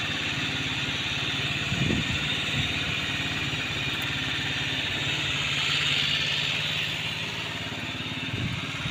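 Small single-cylinder scooter engine ticking over at a steady idle with a couple of brief blips of throttle, settling back evenly.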